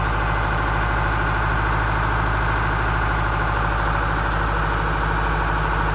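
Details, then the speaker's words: GM 4106 RV generator, started for the first time in at least 2.5 years, with a deep steady rumble, even beat and no knocks or stumbles; healthy idle. "The engine sounds good. We tightened up some oil leaks."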